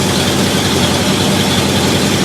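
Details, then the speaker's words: 1968 Ford Galaxie 500 with Holley carburettor set to base mixture screws, idle about 620 rpm versus target 550; steady fast slightly busy idle with even low rumble and no misses, idle set too high. "i can already tell when my crew bottles have uh 620 or so that's just a little high it should be closer to 550 for this application"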